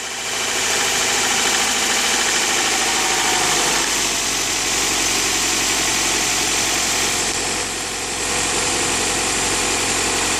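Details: 1999 Honda Prelude H22A8 petrol engine just after a cold start: light, fairly quick tapping over a hissy idle, disappearing after about 17 seconds.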